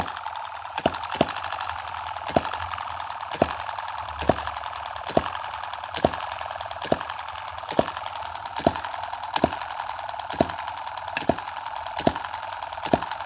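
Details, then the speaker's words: Tiny M17 model 4-stroke gas hit-and-miss engine, running after the shaft play was removed and a part superglued: slow, crisp clicking about once a second with a faint hiss between, an even, clean hit-and-miss cycle. "I mean jeez I've actually even surprised myself that's just running so beautifully let's zoom out you hear that beautiful little clicking noise"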